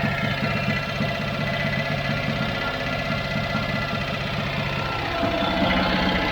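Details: Handbuilt three-wheeler with a Citroën 2CV engine, barn-stored dry for 25 years, now restarted: even, buzzy flat-twin idle at about four beats a second, holding steady; running normally at idle.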